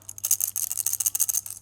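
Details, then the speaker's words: Porsche Cayman S 987 Gen1 salvage build: removed deployed, latched passenger airbag shaken by hand gives quick bright loose metallic rattles — ball bearings shot out on deployment that lock it in place. "you can hear that that's the ball bearing so they've been shot out of the thing and it locks it in place"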